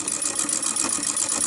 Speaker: That clunking noise that you can hear is part of the mechanism. Not an error or mistake or problem.